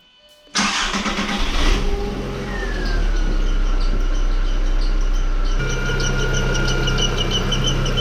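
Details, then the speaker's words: MK4 Golf petrol engine at startup: cranks and fires, thin high squeak over the idle from the accessory/timing belt side; engine squeak, source being sought by removing accessory belt pulleys. "so in that previous clip you could hear the squeaking that it's making"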